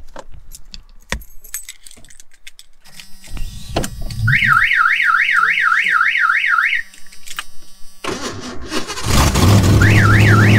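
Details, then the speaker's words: 1986 Ford Mustang GT's old aftermarket alarm siren warbling up and down about three times a second as the engine starts; a faint bird-like chirp is also heard, possibly a pulley. "here man that alarm is annoying"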